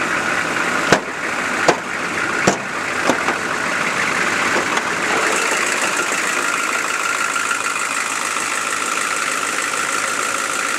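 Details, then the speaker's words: Chevy 6.5L diesel with new transmission, idling as it warms up (fine cold): sharp tick about every 0.7 s at first, fading under a steady hum; owner suspects a valve or rocker arm needing adjustment, unconfirmed. "It's kind of starting to do it. It's getting warmed up here a little bit now. I'm not sure if you can hear it or not. I'm pretty sure it's a valve, but I can't really tell."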